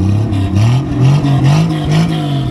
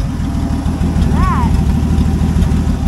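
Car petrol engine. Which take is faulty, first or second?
second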